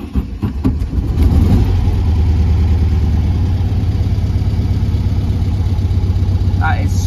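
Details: Air-cooled VW on a cold start: it catches quickly and settles into a steady, even low idle with no knocks or misses; healthy.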